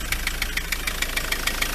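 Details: Ford Transit MK7 2.4 RWD diesel van at idle: sharp regular ticking knock about seven times a second at the front; owner wonders about the turbo, pulleys not loose, suspects the dual mass flywheel, source unconfirmed.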